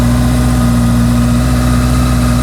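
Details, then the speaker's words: Honda CB650F four-cylinder, idling in neutral after a DIY service with the oil topped up. Even, steady idle with a smooth, unbroken beat and no ticking or misfire; sounds healthy, no weird noises, and no leaks. "So let's fire it up, just for the fun of it. She's in neutral. All sounds healthy, no weird noises."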